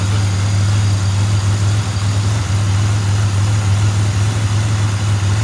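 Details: 2007 Pontiac Grand Prix GT after a crank-no-start believed fixed by fuel pump relay and new spark plugs; codes P0172 and P0300 stored, small exhaust leak suspected near rear manifold: steady smooth low idle rumble, no knocks or stumbles; normal idle.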